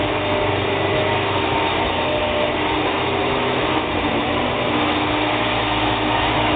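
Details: Hoover WindTunnel upright vacuum, owner feels the motor sounds like it may go bad: steady, even motor roar with constant whirring tone, no surging or rattles; running normally.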